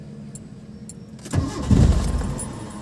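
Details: Mitsubishi Lancer with a hard-starting problem: silence, then low, uneven churning at about four beats a second as it cranks a long while before catching. Hard starting, which the owner reports is now fixed.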